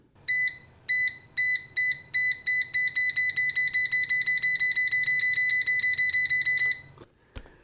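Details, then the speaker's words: Uni-T UT161E multimeter continuity test with repeated probe tapping. Sharp high beeps start spaced and speed up to about two a second, each tap answered cleanly; the light doesn't keep up when tapping fast. Normal continuity beep. "That's pretty fast, but the light doesn't work when you're doing it fast, so. But I like it."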